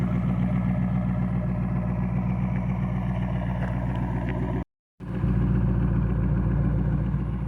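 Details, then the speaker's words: Chrysler 300C HEMI V8 idling just after repair of a dropped valve seat and cylinder hone, with a deep, even rumble and loud exhaust, catalytic converters still fitted, no ticking or knocking; some smoke from oil in cylinders and exhaust. Normal idle. "yeah it's going to smoke for a little bit after everything that happened all the oil in the cylinders and in the exhaust and everything but the exhaust sounds nasty"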